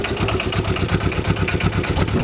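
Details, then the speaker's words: Aixam 400 microcar idling after a battery start, recorded inside the cabin: a harsh, loud, fast clattering idle with a heavy low throb, vibrating all over; cause not identified. "voilà une idée du bruit donc voilà une pétrolette et le bruit est juste en fait super violent donc ça vibre un peu de partout"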